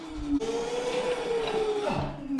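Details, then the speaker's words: Crashed electric scooter brake check: wheel-motor whine holds then winds down cleanly when brakes are applied, no scraping or grinding; front and rear brakes fine, rear rotor slightly bent. "Rear brakes seem like they're fine. Okay, so the rear brakes seem like they're fine."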